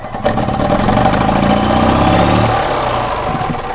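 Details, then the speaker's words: EZGO golf cart petrol engine burning oil and fouling plugs, suspected worn valve seals, revved in neutral with the seat off: climbs lazily and unevenly, then sags back. Slow to rev; owner suspects fouled spark plugs. "I want to run it real quick, show you guys what it's doing. You can kind of hear how it's not revving up real quick."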